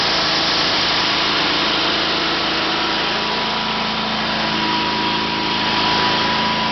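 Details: 1974 Sears Suburban SS/16, 16 hp opposed-twin Onan engine, out of gear at full throttle, recently run: even fast buzz, no misses; runs pretty good at full throttle but surges below about a third throttle.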